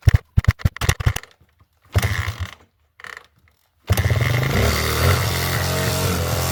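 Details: Suzuki SP125 enduro single, carburetor just refitted after it kept refusing to stay running: choppy pulls and stalls, then catches with an uneven, wavering beat; rough running and very smoky, owner suspects carburetor needs tuning and too much oil.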